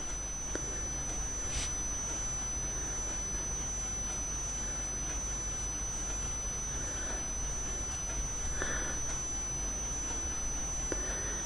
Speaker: Je sais pas si dans le son vous entendez une espèce de sifflement. Moi je me demande si c'est pas ma télé qui siffle comme ça.